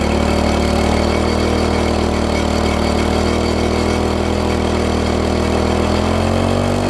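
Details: MTD front-tine tiller engine screams at constant high speed with no drop toward idle, throttle seemingly locked fast, spring loosened; binding throttle mechanism, linkage misconnected at the carb, fixed by reconnecting and adjusting throttle.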